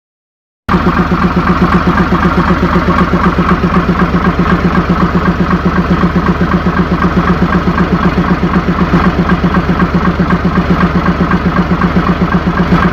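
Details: Mitsubishi 6M70 double-EGR diesel idling two hours after engine rebuild (piston rings, bearings, gaskets, cylinder head) done twice for blow-by: steady, even clatter about four beats a second, no hunting or misses; healthy idle, problem reported solved.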